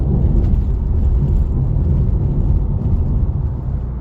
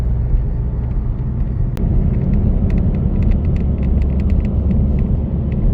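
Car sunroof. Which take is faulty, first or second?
second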